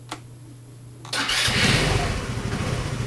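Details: GY6 scooter engine starting after starter repair (starter had been 1/4 full of oil with a shorted winding, causing hard cranking, hot starter and battery drain): brief starter whirr, catches within about a second, settles to a steady, even idle; clean start.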